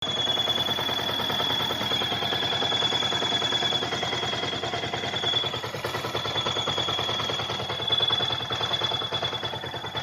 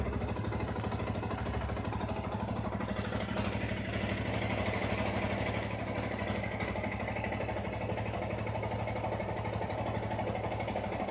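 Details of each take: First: Yamaha R15 at idle: thin, steady high whistle over the fast-clattering small engine, from a worn water pump oil seal and bearing; fixed by replacing them. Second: Yamaha R15 after fixing a whistling sound by replacing the water pump oil seal and bearing: engine idles evenly with a steady low putter and no whistle or whine.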